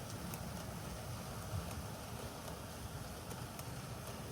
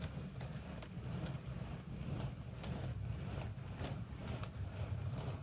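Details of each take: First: Bachmann Class 47 BR green DCC sound-fitted model locomotive, sound off, on a 2.35° gradient at speed setting 20: quiet steady low hum with faint light ticks, no cogging or surging, smooth running. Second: Bachmann 94XX Pannier tank DCC model locomotive, very low geared, sound off, pulling a load on a 2.35° gradient descent: small motor whirr with ticks about twice a second and uneven, jerky running; cogging suspected.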